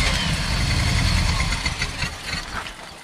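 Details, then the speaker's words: 1974 W200 V8 with carburetor, being brought back to running: rough, uneven running with a hissy, splashing rush over the low rumble that fades as it dies down, caused by water spraying into the cooling fan. "it was the uh water hitting the fan"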